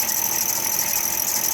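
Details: Constant high-pitched squeal over an idling vehicle, likely accessory belt or power steering noise; separate concern is a failed transmission with no reverse and whining when accelerating.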